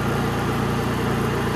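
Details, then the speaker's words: Honda EU3000is inverter generator on gasoline with a Nashfuel propane venturi plate fitted, idle control off and pulsing felt at the carburetor: smooth, even idle with a steady low hum and no misses or knocks; normal. "You can definitely feel pulsing at the carburetor. A lot less air with the idle control off."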